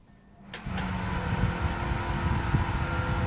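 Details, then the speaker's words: Heated bathroom heater-fan (浴霸) blower motor after oiling its sponge bearing: still loud at startup for a short while, coarse rumbling drone over a steady hum, then quiet; oiling failed, motor worn and needs replacing. "声音还是这么大啊，就启动了一小会儿，启动一小会儿有那么大的声音，然后就好了，说明这个加油解决不了问题，那就是需要换电机了，"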